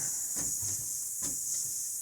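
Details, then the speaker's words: 1948 GMC Silversides PD3751 bus, air windshield wiper valve: constant sharp hiss with faint clicks, air leaking past the valve shaft; needs an O-ring on the shaft, leak stops when valve is moved, wiper still works. "The valve does need an O-ring. You can hear it leaking there, so it needs an O-ring on the shaft."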